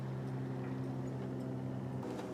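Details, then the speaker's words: BMW 2002 with built turbo M10 engine and E30 M3 S14 parts, warm at first start: steady hum with a faint fluttering hiss from a radiator cap left unlocked and venting. "oh that's the radiator cap i forgot to lock it in place that thing could explode in my face at any minute i can't believe i did that"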